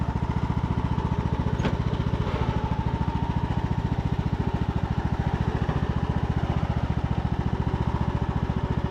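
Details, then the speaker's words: Craftsman YT3000 riding mower, abandoned four years, revived after old oil drained thin as water, spark plug cleared with compressed air and fuel dribbled in: even low thumping beat, about three and a half pulses a second, no pulley squeal or rattle; runs healthy. "sounds good to me I don't hear anything pulley sound"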